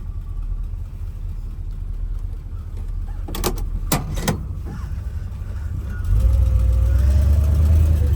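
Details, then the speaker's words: 1957 Plymouth Fury, oil pressure 50, rolling slowly after sitting: a few sharp pops over a low engine drone as the cold brakes stick slightly, which ease once the brakes warm up. "See how the brakes were just sticking a little bit on it? And you hear that little bit of popping? That's the brakes until they warm up."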